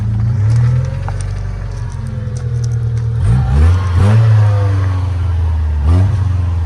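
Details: 1993 Mustang 2.3 four-cylinder after a head gasket job and timing fixes. Long cranking that catches into lumpy, uneven bursts and stumbling revs, never running cleanly. Rough running because the firing order was wrong; the number four plug wire is broken.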